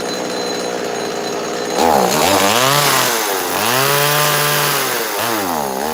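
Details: Neotec NS832 chainsaw after a coil change that did not fix it: fires right up, but revs climb briefly on each trigger pull then sag and wobble; weak, bogging under throttle; owner suspects carb flooding or a loose screw in the carb.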